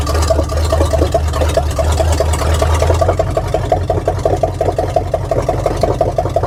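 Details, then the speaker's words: 1979 Chevy K20 square-body truck running after sitting 30 years: uneven, lumpy idle with irregular puffs and pops about three per second over a low rumble. Rough running; owner unsure whether it is just the exhaust. "well um sh don't sound the best I don't know if it's just the exhaust or what the deal is"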